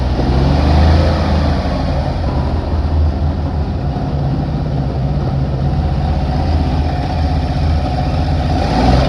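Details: 1960 Grumman Olson curbside van pulled from a field, running with water added to the radiator: steady deep rumble holding an even idle with no knocks or misses.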